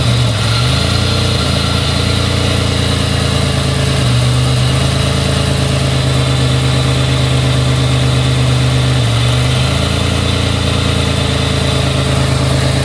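Warm engine idling rough with an uneven lope that wavers, and a couple of blips of throttle; a misfire at idle, cause unknown.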